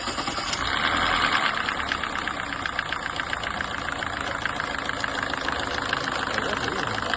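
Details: 2017 Kia Forte engine at idle: light, fairly quick ticking knock over the engine hum; knocking, cause not yet clear.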